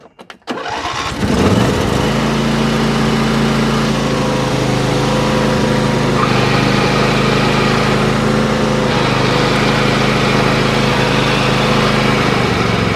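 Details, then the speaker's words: Craftsman PYT9000 (MTD) riding mower running: constant whirring hum as soon as the belt turns, from a failing tensioner or idler pulley bearing, not the hydro transmission; exact pulley not yet located. "see that's just a pulley that's making that noise that's not the transmission usually it's a pulley back here"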